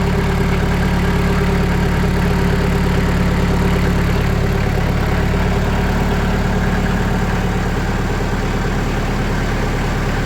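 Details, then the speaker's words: Sawmill engine at raised RPM after adding 80 mil (2mm) sound-deadening mat to the doors: steady, even engine drone with no knocks, rattles or surging, much quieter than before. Normal high-rpm running. "so, yeah, that's so much quieter."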